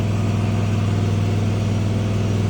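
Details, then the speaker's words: Kawasaki-engined mower started after sitting a month, with choke up and throttle at halfway: smooth, even low thrum with a steady beat and no misses or knocks; running normally. "good old Kawasaki yeah that was pretty good for setting for a month not going to complain about"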